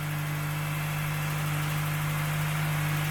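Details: Mk1 Golf cabriolet engine first running after a long lay-up, choke pulled, electric fuel pump fitted: steady idle hum with a faint, even light ticking at engine speed; sounds like slightly noisy tappets, suspected, not confirmed.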